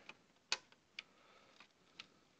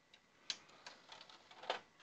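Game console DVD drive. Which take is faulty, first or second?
first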